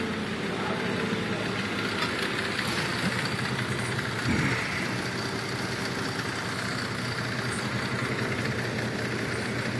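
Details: 2004 Cadillac SRX 3.6 idling rough and uneven with irregular stumble; scan shows cylinders 1 and 3 misfiring, cylinders 2, 4, 6 at zero, injector 1 code; intermittent injector problem.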